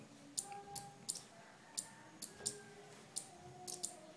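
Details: Two relays in a flip-flop circuit with capacitor alternating two LEDs: sharp dry clicks, about eight in four seconds, slightly uneven over a quiet room; relay contacts switching normally.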